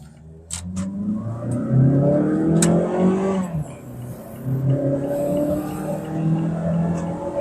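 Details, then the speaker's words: Mazda3 Skyactiv BN with about 75,000 km under a 0–400 m acceleration test; the engine note climbs unevenly, surging and dipping instead of pulling in one go; hesitation under acceleration, cause not confirmed. "แกลกนี่เห็นนะระบบจุดระเบิดมาแล้วแล้วก็เร่งฮึดๆๆๆขึ้นไปไม่ได้ขึ้นทีเดียว"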